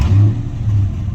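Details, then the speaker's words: Dodge Challenger started after repair for a check engine light, code still stored: engine catches, revs, settles to steady even rumble, no misfire or knock; sounds normal. "Alright, sounds normal. Still got the check engine light on. I didn't erase it."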